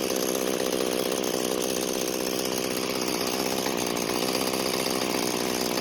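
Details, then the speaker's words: Free curbside string trimmer, small two-stroke, after fuel flow check: buzzes at a steady low speed with no rise at all; owner suspects a disconnected throttle cable, not confirmed. "so the throttle doesn't seem to be working and after taking a look around it looks like the throttle cable got disconnected"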